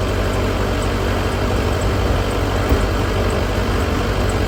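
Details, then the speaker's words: Duramax LB7 diesel idling after new injectors replaced the old set, half of which failed testing: a steady low rumble with even rattle, no misses. The idle is normal, where before the injectors rattled badly. "that sounds a million times right before I changed these out the injectors were rattling so bad"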